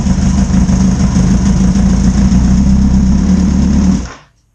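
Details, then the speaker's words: 2009 Kawasaki ZX-10R after blown-engine rebuild, first brief start with no coolant added yet: short burst of even, lumpy idle then clean shutdown, no knock; engine runs normally again. "I guess the bike still runs. That's always good news."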